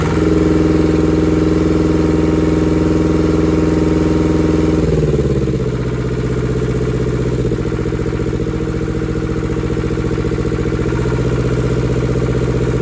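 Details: German air-cooled Deutz F2L511 two-cylinder diesel, ex-forklift, first run after sitting about 5 years: runs fast then drops after about five seconds to a steady, even idle, no knocks or misses; healthy.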